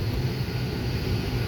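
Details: 2006 Honda Pilot, just under 200,000 miles, after replacing failed burnt-smelling blower motor that blew weakly and intermittently: new blower on high gives steady even whoosh and hum, no ticking or rubbing, much more airflow.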